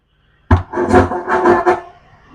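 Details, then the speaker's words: Ahuja SSB-60M PA amplifier with speaker load on the 8-ohm tap, mic volume up, master and treble centered, bass at zero: sound rough and choppy, bursts breaking up and dropping out; same on mics 1–4. Technician suspects driver board and volume control faults. "आवाज फटी फटी आ रही है रुक रुक के आ रही है क्लियर नहीं आ रही कुछ नहीं हो रहा"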